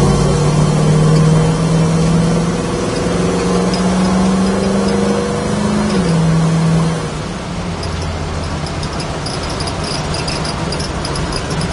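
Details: 1968 Chevrolet Camaro, 350 Chevy V8 with small-diameter (about 1.5 in) long-tube headers, driving on the road: smooth, even drone rising and falling with road speed, no ticking, knocking or stumbling; engine healthy under way.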